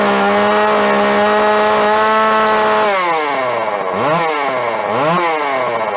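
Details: Neglected yard-sale Jonsered 510 chainsaw two-stroke; buzzy fairly high idle, then stumbles and surges through two blips, dipping before climbing; rough running, mixture likely off.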